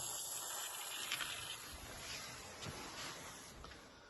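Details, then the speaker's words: Detached house with a slowly falling pressure gauge: a steady, airy hiss heard over the supply pipe running under the stairs, also audible from behind. Pressurised water escaping from a leaking buried pipe. "yalnız hem buradan ses geliyor hem arka taraftan ses geliyor Kaçak olarak"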